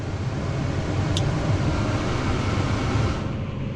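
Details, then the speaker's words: New Holland T8.300 with the faulty park lock coil removed and a new fuse fitted, put in gear: the heavy diesel drone pulls down and stays loaded as the tractor labours against the still-engaged park lock, stopping when the clutch is pressed. "Hear the tractor labor down. It's in park still."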